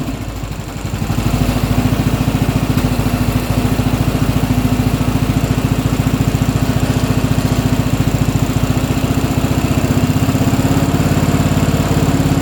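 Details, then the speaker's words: Briggs & Stratton Intek riding mower engine (Craftsman LT1000-type, 14–18 HP) after carburetor replacement, on choke: catches and settles into steady, even low thump, no stumbling or surging; sounds much better, running smoothly. "That sounds much better."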